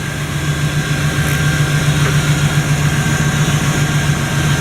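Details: Idle after fixing leaking fuel-line quick-connect O-rings, confirmed with no leak; steady, even low idle with a smooth rhythm, no knocks or ticks on top, so the engine runs healthy (owner notes leaking injectors, Bosch 3s).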